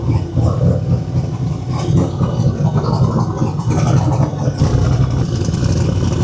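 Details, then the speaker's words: Turbo single-cab truck just started after rewiring its Holley digital dash, water temp not yet up, fuel and oil pressure, vacuum and voltage good, mic walked back: deep, steady note rising and falling smoothly under light throttle blips, no knocks or misses. Healthy. "Let's walk back in. Take a listen. I'll walk back here with the mic cuz she is sounding good."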